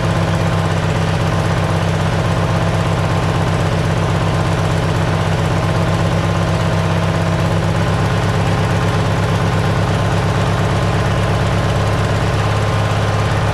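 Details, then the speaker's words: Simplicity tractor engine fitted with a cheap Chinese replacement carburetor: a steady, fast idle that never settles, an even drone with no misses, estimated about 500 rpm too high; owner plans to add a spring to fix it. "low whichever and it's just you know it's keeping it up the RPMs there up there you know another 500 above where it should be that's what it sounds like anyway it's probably about five hundred rpms too high anyway"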